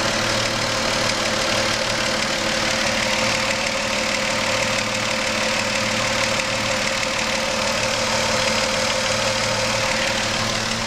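Steady idle with a light, fairly quick ticking knock riding over a hissy background; something is knocking at idle, cause unknown.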